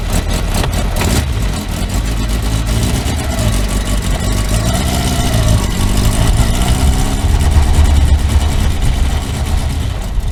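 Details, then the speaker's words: Kawasaki four-cylinder motorcycle after reassembly, revving: ragged uneven beat with a flat exhaust note, not running on all four cylinders; cylinder 1 found dead, owner suspects ignition leads disturbed when coils were removed; single-cylinder misfire. "lehet hogy gyújtó kábeleket ahogy megmozgattam na hát nem nem megy mind a négy henger"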